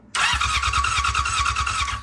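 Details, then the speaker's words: 1999 Yamaha R6 four-cylinder cranking: steady starter whir with even compression pulses, never catches; ignition output peaks only about 6 volts instead of hundreds, wiring good, so a faulty, misaligned pickup coil is suspected. "So you see the maximum voltage is about 6 volts. This should be going to, like, you know, at least a couple hundred volts. So that's why I suspect this is no good."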